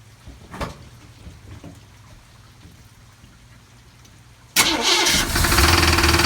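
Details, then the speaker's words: 1979 Ford with a small-block engine that hydro-locked (rear passenger-side cylinder full of gasoline, cleared by cranking) now starts and runs with a loud, harsh, fast rattle over the idle; cause unclear. "so I turned it over a few times got that out of there and then and uh started it up after that and I'm getting this that pretty loud rattling noise doesn't sound very good to me at all"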